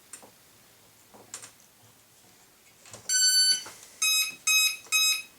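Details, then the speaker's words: Parkzone Sport Cub RC plane: battery plugged in powering motor and ESC (receiver off until switch flipped); long high beep then three short beeps, the normal ESC power-up tones. "Okay, so I'm going to plug in the battery, and you're going to hear the tones of the ESC."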